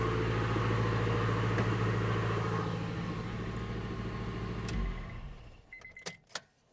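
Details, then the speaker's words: Engine after all four fuel injectors replaced (one had flowed about 15% less than the others) and leaking fuel fittings with old O-rings renewed; startup gives a steady, even low rumble with no popping or banging, then a clean shutoff. "So I could tell a difference already with the initial startup. It didn't have any popping and banging. It's a whole lot smoother."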